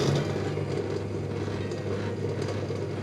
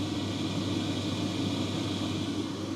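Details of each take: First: Electrolux/Simpson/Westinghouse clothes dryer running with little airflow from the exhaust: steady low hum and rumble with an uneven rattling churn; owner suspects the blower fan has come off the motor shaft. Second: Electrolux/Simpson/Westinghouse clothes dryer after the blower fan was replaced: steady, even airy hum and smooth drone with no rattle or scraping; running normally, lint blowing from the exhaust.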